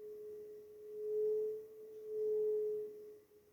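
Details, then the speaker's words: Cold, rainy, windy day: a pure, steady flute-like whistle swelling and fading with gusts as wind blows through a newly fitted open flexible conduit in the wall during electrical rewiring of an old house. "Ese viento está tocando ese instrumento flexible que ha dejado el electricista, que está arreglando toda la conexión de la casa, que tiene una conexión antigua."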